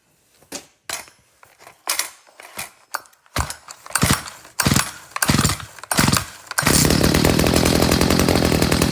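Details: Stihl HS45 hedge trimmer after recoil repair, choked and primed: a few sputtering pulls and catches, then fires and settles into a steady, even two-stroke buzz; runs cleanly.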